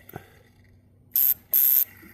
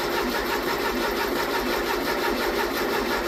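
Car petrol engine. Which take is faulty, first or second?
second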